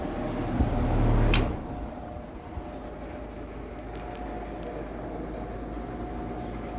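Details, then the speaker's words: Vintage Sears Homart belt-drive window fan, 1/6 HP Craftsman motor, two-speed toggle switched to low: click, then soft steady low hum with faint even tone, no rubbing or knocking; runs smoothly on low. "oh i like that i like that this one's got two speeds oh yeah that's nice and powerful"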